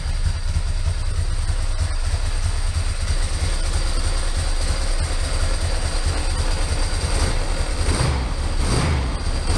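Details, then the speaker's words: 2003 Ducati ST2, 944cc water-cooled 2-valve V-twin, knocked over and left outside, running: dense low rumble with constant rattly undertone from clutch side; owner suspects clutch pack bearing or cush drives, possibly case main bearing. "as you can hear, there is a problem with this clutch. Now it could be the bearing within the clutch itself or the cush drives that have gone, or it could be the main bearing that sits as part of the case."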